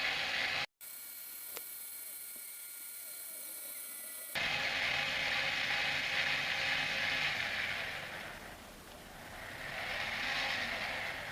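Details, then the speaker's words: Sky-Watcher AZ GTI mount after strip-down and regrease with Superlube synthetic, DEC axis slewed through 360 degrees via app: smooth steady high whine with no grinding or binding, drive healthy. "so I'm literally just going to turn that through 360 Degrees to make sure there's no binding"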